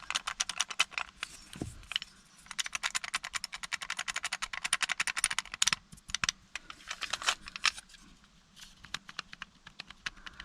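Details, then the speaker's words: 2010 Ford Escape with intermittent no-start from the key: removed original ignition lock cylinder shaken by hand gives rapid loose metallic clicking and rattling, far more metal-to-metal play than the new one; worn ignition lock cylinder. "Oh yeah, this actually... You can hear it. There's a lot more play in"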